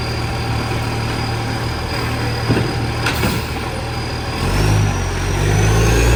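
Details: West Torrens garbage truck 2013, diesel: loud raw puffing rumble that swells as revs rise from idle, a big exhaust leak.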